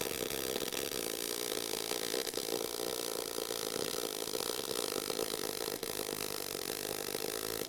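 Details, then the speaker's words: Eastwood mp250i multi-process welder, MIG mode with inductance turned all the way up: soft continuous frying hiss with few sharp pops, substantially less spatter from more heat into the weld; smooth hotter arc. "so you'd probably hear that difference was there less spatter with that or substantially less because there's more Heat going into that area is that because inductance is turned all the way up"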